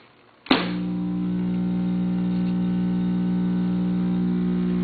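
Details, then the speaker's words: Recapped Webcor tube tape recorder in record with the level all the way up: a steady low buzzy hum (extreme hum problem) with a rattle. The rattle is suspected to come from the bad middle of three speakers. "the rattling i think is because of speaker needs replacing as three speakers in the middle speaker i think is bad"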